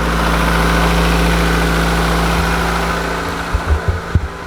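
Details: 1991 Honda Accord (CB7) four-cylinder, first start after valve lash adjustment, previously sounding like marbles when cold: settles into a smooth, even idle with no valvetrain rattle or ticking; far smoother, healthy.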